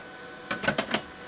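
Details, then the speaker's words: Rebuilt BBi-style RF amplifier on the bench, about 800 watts out with only about half a watt of modulated drive: four sharp clicks over a quiet hum. The keying relay chatters because the drive is too low. "That's why we hear the relay click-clacking so much."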